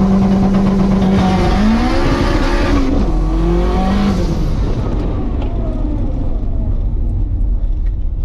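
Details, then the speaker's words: Turbo K20 EF sedan on dyno, coolant temperature in the 180s: engine note climbs then sags and wavers under heavy load, bogging down on launch; seems to need much more RPM, unconfirmed. "You hear that bog down? Yeah. Yeah, I did the same thing at the track. I went, I got a clutch kick to come back in. It's like it just needs way more RPM."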